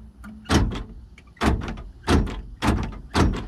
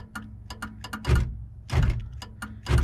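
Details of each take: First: 1978 Chevy El Camino electric door lock: five short, solid clunks about a second apart with quiet between; the lock motor now cycles firmly and reliably. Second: 1978 Chevrolet El Camino electric door lock, connector on lock motor slightly corroded, switch contacts cleaned: sharp relay clicks in quick pairs with heavier lock clunks about every 0.8 seconds; relay works, lock operates only intermittently, cause unconfirmed.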